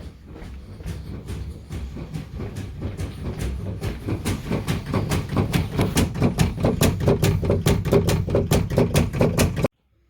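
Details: Residential water main in the mechanical room beside the hot water tank makes rapid, steady chugging thumps with vibration, about two a second; the cause was a faulty lift check valve.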